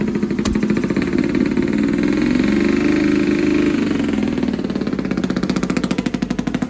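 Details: Honda CX500 twin with Mikuni carbs; ragged uneven idle with pulses dropping out, right cylinder misfiring.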